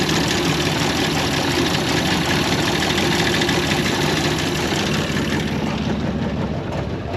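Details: 1930 International fire truck, six-cylinder, start attempt after plugs pulled, cleaned and swapped: rough uneven idle with irregular exhaust stumble; misfiring, apparently running on about four of six cylinders; cause unknown, plug wires or plugs suspected.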